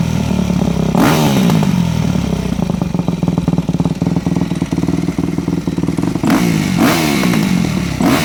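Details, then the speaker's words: Japanese 4-stroke MX bike (e.g. YZ250F/YZ450F) with a Keihin FCR-MX carburetor, blipped up and down: exhaust crackling and popping as revs fall because the pilot fuel screw is set too lean, which also makes starting hard. "did you hear how much popping and carrying on i would call it coming out of the exhaust was occurring that means your fuel screw was adjusted too lean"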